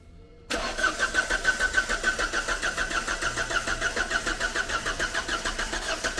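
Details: Volvo V40 abandoned for years: cranks briefly, catches cleanly, settles into steady idle pulsing about three times a second, no misses or knocks; normal start and idle.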